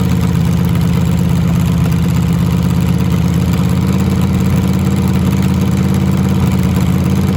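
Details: Cobra freshly built engine during second run completing cam break-in, outside with laptop connected: strong deep steady rumble at constant speed, even firing, no ticks, knocks or misses; normal running.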